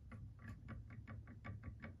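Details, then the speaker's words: Prusa MK3 printer, original factory tri-bearing Y-axis setup with old bearings, bed rocked by hand: sharp light clicks about four per second from a tiny gap; Y-axis play, worn or old bearings suspected. "it's very very tiny movement it's not a very big movement but you can hear the sound"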